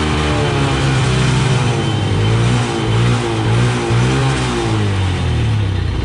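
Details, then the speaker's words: Honda Wave motorcycle that would not start despite fuel, spark and compression, running after gasoline was poured into the spark plug hole and the plug refitted; even putter picking up cleanly on light throttle blips, normal running. "mga so Ayan mga boss ano umaandar na siya at madali na siyang paandarin"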